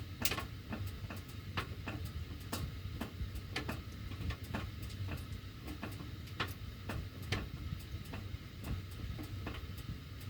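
Sharp, uneven ticks about once or twice a second over a soft low rumble: the ductwork ticks while the heat runs, cause unknown.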